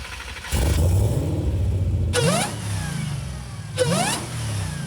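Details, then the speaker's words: Nissan 350Z with a Hellcat supercharged V8 engine swap: deep V8 roar climbs sharply on each blip with a rising supercharger whine, then settles back cleanly; strong, healthy revving. "logramos hacerlo rugir como se debe y suena brutal."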